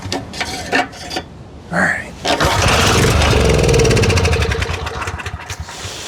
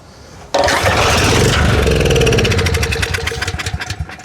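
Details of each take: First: Storm Responder generator, Briggs 10 HP with clone carburetor, primed with a squirt of fuel and using a substitute for the discontinued governor spring: catches after pulls, runs roughly seconds, then dies, making no power. Cause unconfirmed. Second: Storm Responder generator (Briggs 10 HP type) on fuel squirted in: it catches right away and runs evenly for a few seconds, then fades as the fuel runs out; the engine sounds good but no power output was seen.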